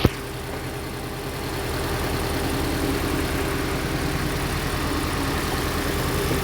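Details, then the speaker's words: Hyundai Elantra with manual clutch, codes P0267 and cylinder 3 misfire: uneven, lumpy idle with a stumbling pulse. Injector 3 is not firing and the O2 sensor reads lean; a loose injector connector is suspected. "واضح انه قاعد ترد. الحين طلع لي سلندر 3 انجكتور، بخاخ رقم 3. في مشكلة، نشوف الحين مع بعض."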